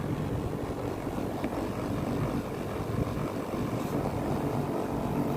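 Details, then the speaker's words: Daikin R410A air conditioner outdoor unit after a capacitor replacement: a steady, even hum with a low fan rumble and no knocks, rattles or surging. The compressor is running normally again. "AC sudah menyala kembali dan kompresor sudah berjalan normal."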